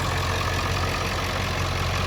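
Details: 2003 Ford F-350 Super Duty 7.3L Powerstroke turbo diesel, one owner, 93,176 miles, at idle: steady even diesel clatter with deep constant rumble, no knocks; runs very strong and smooth, normal idle.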